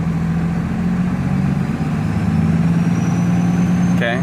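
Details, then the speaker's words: HE351VE variable-geometry turbo on a diesel, tuned by back pressure only at vane position 940: throttle applied, loud turbo whine while boost holds at only 10 psi and engine rpm barely rises; wrong VGT vane position. "you hear a lot of turbo wine like it's whining okay but it's still only 10 pounds so look at my rpm my rpm is still about the same"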